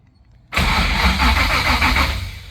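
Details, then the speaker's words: LS-swapped Ford Ranger, 406 ci engine, not yet running, starter shimmed and battery about half dead: strong, steady, even cranking whir, engine spinning smoothly; starter engaging cleanly, normal cranking. "And the starter's shimmed right and everything. It sounds good, so that's good."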